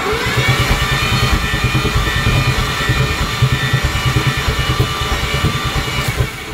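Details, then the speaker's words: Cranking with no start on a Mazda FD RX7 13B REW rotary with starting fluid in the throttle: the starter drives a fast, even, hollow chugging of about three pulses a second with no firing. It sounds like zero compression, not confirmed. "we'll give it a shot as this thing sounds like it has zero compression"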